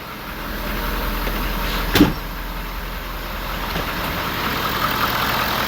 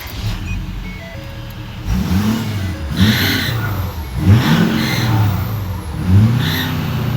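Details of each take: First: 2013 Ford 6.7 Powerstroke diesel first start after exhaust manifold and turbo replacement for a squeal under heavy throttle: steady, even idle, smooth low rumble, no knocks; normal. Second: 2013 Ford 6.7 Powerstroke diesel with a squeal only under initial heavy throttle: high squeal rises and falls with each hard throttle stab over the diesel rumble. Owner suspected the exhaust manifold; turbo bearings suspected; manifolds and turbo later replaced.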